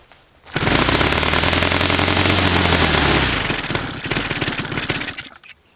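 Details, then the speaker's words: Saito FA-300T twin glow engine at about 1/3 throttle: catches and roars briefly, then sags and stumbles before cutting out; rough running, likely not firing on both cylinders; next steps re-prime, reset high-speed needle to 2.5 turns, possibly swap plugs. "I'm not really sure why this thing wouldn't be wanting to. It's firing."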